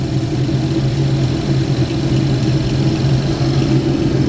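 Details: 2011 GMC Terrain with past P0341 cam code, warm after 20-mile drive while cam wiring is wiggled; no fault, only P0420 catalyst code. Steady, even smooth low hum, no misses, stumbles or ticking; normal warm idle.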